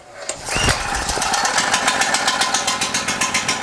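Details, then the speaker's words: New Harbor Freight Predator 4375/3500 W generator, 6.5 HP 212cc, very first start with choke after priming pulls: catches on one pull, settles into an even, quick popping beat with no stumbling or knocking; clean healthy start. "first pull first start that's pretty good sounds like it's running really well might get a little loud I apologize"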